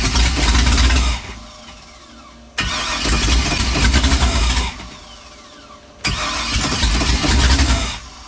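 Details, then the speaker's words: Newly installed LS 383 V8 in a car called Deathwish, first start attempt with fresh break-in oil; three separate one-to-two-second cranking bursts with quiet gaps, smelling of fuel, but it never catches. "getting fuel it sounds like smells like it's getting fuel"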